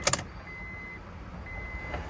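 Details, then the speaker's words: 2003 Honda Odyssey after timing belt and tensioner replacement, cranks but won't start; at key-on the fuel pump hums and primes normally for a couple of seconds while the immobilizer light blinks, suspected unprogrammed transponder key. "I can hear the fuel pump coming on but you see the light blinking what does that mean"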